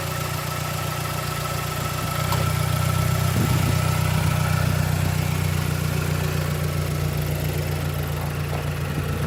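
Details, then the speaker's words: Stock 2009 Mazdaspeed3 that had slight knock and rough idle, just after replacing spark plugs: even idle, slightly high, lifts and settles, no ticking or knocking; idling smoothly. "idling a little high that sounds way better yeah there was no knocking at idle"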